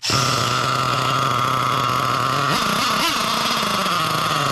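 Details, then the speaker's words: Losi LST XXL nitro RC truck, engine not yet warmed up, while tuning the low-speed needle: a high, buzzy nitro note stumbles and surges when blipped, running lean; turning the low needle out a quarter turn makes it sound better. "oh no definitely lean she's running okay we quarter of a turnout on the low okay that's sounding good"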